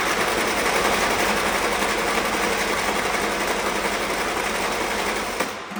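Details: Old Willys Jeep that has been sitting, cranked after the electric fuel pump primed the filter, with the pedal pumped. Quick, dry, even chugging at about four beats/s with no firing; cranks, no start, before the carburetor was tapped.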